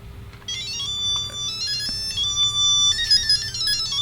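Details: Tiger Electronics Mega Man 2 handheld, test unit powered on batteries: bright beeping electronic tune plays clearly and evenly from the small speaker; normal game sound.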